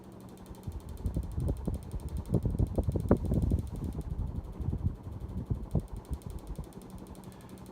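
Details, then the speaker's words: Early-1990s 52-inch Emerson Summer Night damp-location ceiling fan on high speed: irregular light clicks and ticks about four a second over a soft motor hum; wobble and shake, owner thinks the blades are out of balance. "that's a slight wobble to it high-speed it doesn't spin terribly fast but it's actually a quite powerful fan definitely moves good air it does have a shake to it as you can hear"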